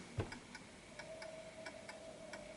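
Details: Antique Westminster chiming clock with silent function, placed off center on a surface: ticks about three per second with alternating short and long gaps, lopsided tick-tock; pendulum out of beat and clock eventually stops.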